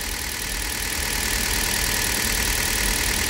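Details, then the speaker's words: Hyundai Solaris cold idle after an overnight soak at 2°C outdoors, just after changing to Toyota oil: even, steady hiss and purr with no ticking or knocking; healthy engine. "ребята . Но для меня здесь тихо. Для меня здесь тихо."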